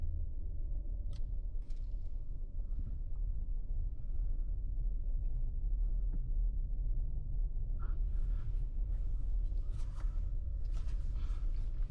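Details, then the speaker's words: 2023 Hyundai Palisade after replacing the rear differential coupling assembly: slow right turn in a parking lot with low steady cabin rumble and no thumping from the rear driveline. "So far so good. I don't hear the thumping noise anymore."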